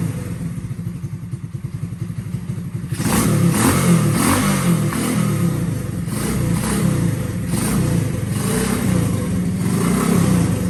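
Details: IceBear CT70 clone built from spare parts with a Lifan 125 cc engine: small single putters at an even idle, then picks up into a smooth steady run around four beats a second; normal idle, described as sounding lovely.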